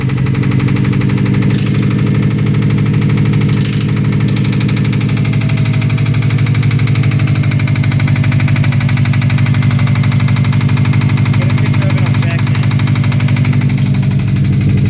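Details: Subaru WRX petrol engine, a used replacement motor just installed, knocks immediately on start-up: a heavy, steady knock of roughly three a second under the idle; rod knock suspected, not confirmed.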